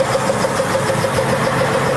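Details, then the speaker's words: 1966 Ford Mustang project at its first start after long storage, possibly low on antifreeze; steady idle with a light regular tick and a faint hissy sizzle over it. Source of the sizzling is not yet found. "What is that noise? Like a sizzling sound."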